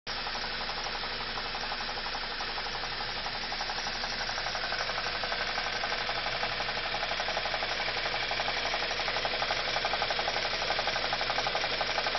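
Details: BMW E46 316i with N42 petrol engine running with a bright, rhythmic ticking and rubbing sound about three beats a second; cause unknown, owner asking for help.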